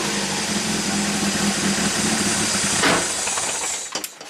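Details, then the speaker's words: 1987 Toyota MR2 with a hot-stalling complaint, oscilloscope on injector 4 pulse width, engine held on throttle: roars with a hissy intake, then sags and quits abruptly within a second as if out of fuel; stalling, cause not confirmed. "okay so it's almost like it ran out of fuel isn't it"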